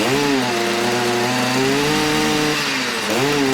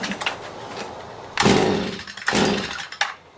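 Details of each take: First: Stihl MM56/MM65 tiller two-stroke, warmed up, carburetor tuned to near-final setting: clean steady buzz rising and settling smoothly with throttle; running properly, though a drip (oil, fuel or carb leak) is unexplained. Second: Stihl MM56/MM65 tiller two-stroke, bought used, worsening over three years: two short revving bursts then dies; runs only on choke, carburetor or spark arrester issue suspected.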